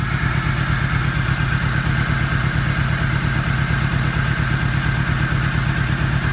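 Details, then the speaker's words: 1994 Toyota Tercel, fouled plugs, compression 60 psi on two cylinders raised to 90 after Seafoam through intake: steady low idle with an uneven stumble about twice a second; misfire from low compression at a leaking valve. "now it actually idols and runs but as you can tell it's not high enough and still misfires"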